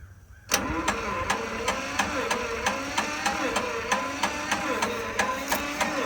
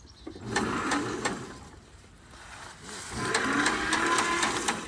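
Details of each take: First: John Deere Model 50 tractor, roughly 1955-56, sat about 15 years, sprayed with oil, choked; slow even cranking about two beats a second, won't fire; owner hears compression leaking, wonders if compression releases are open, suspects flooding. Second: John Deere Model 50 tractor, roughly 1955-56, sat about 15 years, undersized ground wire noted; slow even cranking about four pulses a second in two bursts, turns over freely with good compression.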